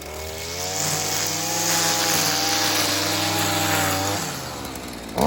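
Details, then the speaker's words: Stihl FS55R string trimmer two-stroke after carburetor repair (new diaphragm and primer bulb, low-side fuel adjustment), warmed up: crisp buzz climbs smoothly to steady high rev, holds without stumbling, drops back; running good, dialed in. "say it's running good awesome all right well I think we've got that thing basically dialed in"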